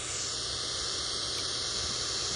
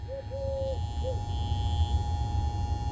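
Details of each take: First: Ford Zenith 6-volt positive-ground tube car radio on the bench, vibrator running, tuned near 1 MHz with an antenna connected. Steady loud hiss with a thin high squeal and no station; the converter appears not to be running (IF 262 kHz). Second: Ford Zenith 6-volt positive-ground tube car radio on bench supply, phone against the set: faint steady buzz under bird chirps; vibrator power supply running normally.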